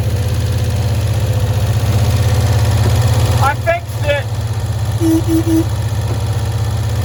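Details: 1965 Cushman Truckster small twin, sitting one year, after freeing a stuck valve, air filter cover off: low, steady thumping idle with an even beat, no stumbles or misses; runs smoothly.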